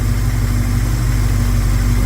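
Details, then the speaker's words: 1971 Plymouth Scamp engine after a couple of vacuum leaks were found and plugged, timing unchanged: smooth, even low idle rumble with no skips or stumbles; firing cleanly on all cylinders. "I just installed 40 cubic in it's running very smooth um it was uh a couple of vacuum leaks I found get those plugged up"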